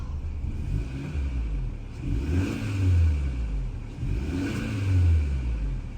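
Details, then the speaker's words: Hyundai Sonata N Line after installing HKS M45XL spark plugs: engine revs up and settles twice, pulling cleanly with an even note, no stumble or misfire; normal revving. "Sounds good. Doesn't seem to be misfire or anything."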